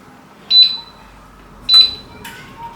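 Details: Siemens EX675FEC1E induction hob after resoldering two control boards to fix a stuck lock; two short, clean high beeps answer each zone selection over a quiet room; normal control response.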